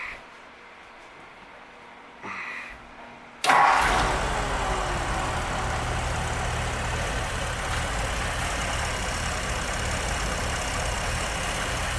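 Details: 1951 Muntz Jet with factory hop-up kit, Edmonds aluminum heads and intake, dual Carter carburetors, three-speed automatic: quick crank, catches cleanly, then settles into a steady, even idle burble without misses or hunting; normal start and idle.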